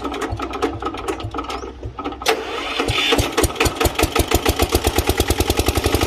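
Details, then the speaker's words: Old Japanese 10 hp single-cylinder diesel welder/110 V generator set with electric start: catches after a brief pause, settles into an even, steady thump that quickens smoothly under hand throttle; engine runs soft and smooth, normal running. "เราเบาๆๆได้เลยเครื่องนิ่มมาก"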